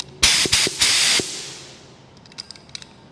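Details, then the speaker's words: Spray gun after strip-down, cleaning and lubricating needle, knobs and threads, plugged back into air: sharp bursts of air hiss when triggered, then silence between, no leaks. "Plug it back in. Silence. No leaks."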